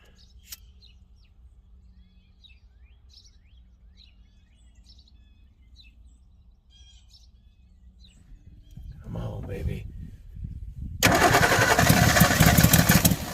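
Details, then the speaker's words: 1961 Ford Falcon Futura parked 20 years, flooded: quiet, then slow cranking before it stumbles and catches into a loud, rough run, revved to clear unburned gas; flooded engine cranking. "baby they're flooded like that you kind of gotta rev them and get that unburned gas cleared out of"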